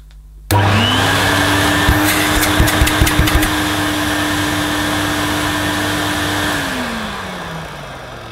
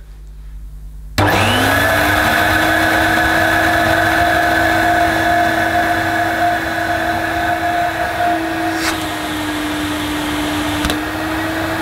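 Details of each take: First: Vintage Electrolux 502 upright vacuum cleaner, about 40 years old, after clearing clogged gunge; it still needs new brushes and possibly bearings. The motor jumps to a steady, even hum with no wobble, then winds down smoothly when switched off. Sounds healthy. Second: Vintage Electrolux 502 upright vacuum, about 40 years old, with a replaced internal hose: the motor spins up to a steady but muffled, quiet hum. Weak suction from a blocked hose entrance.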